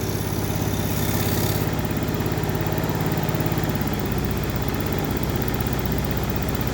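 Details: Small motorcycle engine after cylinder head repair for a rough ticking noise: steady low putter with the ticking gone; normal idle.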